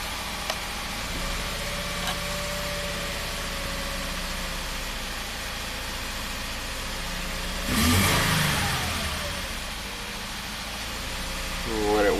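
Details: 2014 Subaru Forester 6-speed manual, 120,000 miles, misfire persisting after new spark plugs, ignition coil and injector; uneven lumpy idle with brief rev blip, dead cylinder traced to a cracked exhaust valve.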